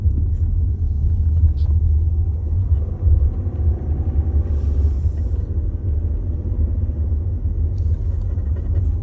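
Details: 2022 VW Tiguan SE R-Line with start-stop activated: deep, uneven low droning rumble and vibration boom throughout, no knocks or whine; cause cannot be pinned down by ear.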